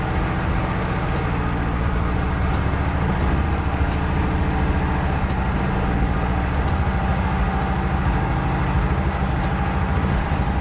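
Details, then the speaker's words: Honda Acty two-cylinder after carb cleaning, idling lumpy and uneven with a stumbling off-beat chug; running on only one cylinder, as it runs with one plug lead connected but not without it; owner suspects a dirty plug. "So it is only a 2-cylinder and it's definitely only running on one because it will run with that one connected but not without connected."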